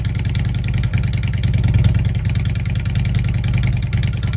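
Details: Fuel-injected Harley Ultra V-twin: steady even potato-potato beat that picks up cleanly when the throttle is blipped; running healthy.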